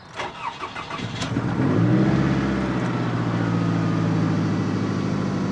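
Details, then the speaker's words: Owner's older vehicle, nicknamed "old clanky", started with the door open: brief cranking, then an uneven, lumpy, wavering idle. Owner says it sometimes starts rough at 55–65°F ambient. Rough cold start. "a little bit of a rough start but the temperature is right for that it does that sometimes when it's around anywhere between 55 to 65°"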